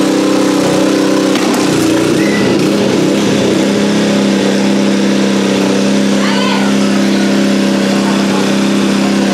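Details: Nearly new Honda WB20XT water pump with GX120 engine that would not start, after carburetor cleaning: steady, even hum at constant speed without misses or surges. Normal running after repair.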